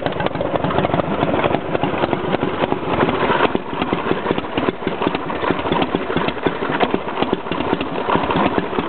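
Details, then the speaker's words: Motorcycle started after rebuild, still cold with choke pulled: steady, even cold idle with a slightly fast, busy beat, no misses or knocks and no oil leaks; normal cold idle. "well it sounds pretty good yeah we don't have any oil or anything rning out so that's a good sign still a little cold oh maybe I to put the choke back in"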